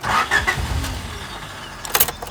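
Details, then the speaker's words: 3rd gen Honda Prelude with a newly installed fuel pump kill switch engaged: brief starter churning that never catches, then clicks and quiet. The pump doesn't prime, so the engine cranks but won't start. "And now it like just won't start."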